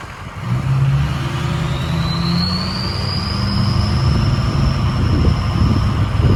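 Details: Ford 6.0 Powerstroke King Ranch idling with a new KC Stage 2 10-blade VGT turbo during the relearn: over a deep diesel idle a thin high whistle climbs as the vanes close, then settles to a deeper tone as they open. Normal turbo whistle.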